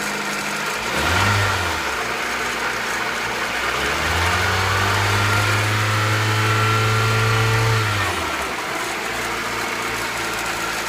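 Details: Honda B18B1 engine in an Acura Integra, recorded before a valve adjustment: petrol engine idling, blipped once, then held at higher revs with a light top-end ticking, clicking suspected to be valve tappet clearance needing adjustment.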